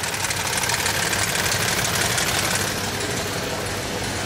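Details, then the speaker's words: 2007 Toyota Tundra 5.7L 3UR-FE V8, 205,000 miles, cold start: fast even ticking about three per second from under the front belt cover on bank 1, unchanged with both actuators unplugged; source unknown, failed hydraulic tensioner suspected. "i disconnected both these actuators while it's running it did not do any change that's clicking kicking from underneath that belt cover it's remaining the same"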